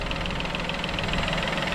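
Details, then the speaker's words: Peugeot 2008 after wet timing belt change, first start: steady idle with light, even ticking several times a second, no knock or rattle; idles normally. "But, as you can see, running perfect. Absolutely sweeter than enough."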